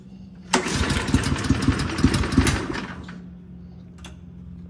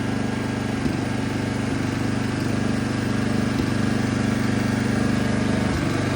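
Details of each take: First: Toro Turfmaster mower, first start after a carburetor replacement, pulled on choke: catches into about two seconds of ragged firing, then fades out and won't keep running. Owner suspects fuel had not yet circulated. Hard starting, won't keep running. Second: Toro Turfmaster mower after a carburetor replacement: even, steady drone at constant speed with no misses, surging or stumbles. The earlier no-start is confirmed fixed by the new carburetor. Normal running.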